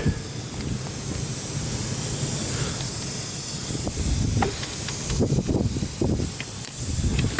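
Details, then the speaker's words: Dodge Caliber SRT-4 boost leak test at 10–15 psi with soapy water, after intake manifold gasket work: steady loud hiss of escaping air with sputtering bursts from an open port on the hose from the suspected EVAP canister; boost leak found. "Oh, look at that, you guys. That is my boost leak."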